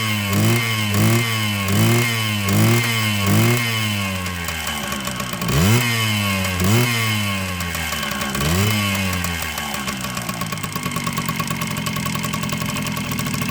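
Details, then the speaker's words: 1979 Kawasaki KM100 two-stroke, kick-started while loaded with oil: blips, then sags into a lumpy, struggling idle with heavy smoke. Over-oiling from a worn oil injection pump plunger letting oil bypass. "that's a good thing they wear out and then the oil just bypassed up the plunger in there and then it smokes like there's nobody's business"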